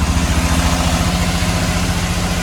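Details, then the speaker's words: 5.3 LS Vortec V8 in a 2002 Chevy Silverado donor truck, due for swap into a 1989 Blazer: even, steady idle with firm low pulses, no misses or knocks; slight smoke at startup, owner suspects valve guide seals. "Sounds pretty good. I get a little bit of smoke at startup, but I think that's that typical Chevy valve guide seals or whatever."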